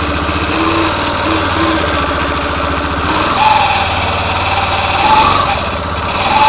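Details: Fazer 250 Blueflex 2013/14 with 6,000 km, on the first cold start of the morning: a dry creaking rattle over the idle. The cause was the starter clutch plate, and replacing it removed the noise.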